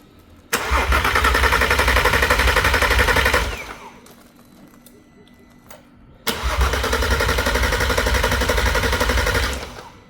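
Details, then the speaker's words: VW R32 engine being started on the floor (out of car) for a T5 Transporter swap, second start attempt: steady even starter cranking in two bursts, never fires; cranks but no start, owner suspects a sensor with damaged wiring. "Second try. No starting. So, let's see what else is there."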